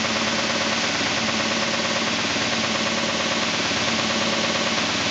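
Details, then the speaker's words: 2000 SCMI Sandya 3 37-inch wide belt sander running after soft start: a steady roar with a soft, regular thump about twice a second from a high taped seam in the sanding belt paper, not the sander itself. "the seam right here on it is just extremely high the way it's taped so as it goes around you can hear it but it's actually just the seam in the paper it is not the sander itself"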